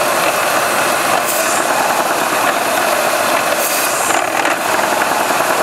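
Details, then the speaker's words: GM series I supercharged 3800 (3.8L L67): engine runs rough with hissy, uneven note, sagging and stalling when the leak is disturbed; large vacuum leak from failed supercharger-to-lower-intake gasket (TSB). "So that's a hell of an air leak. If you could stall it doing that."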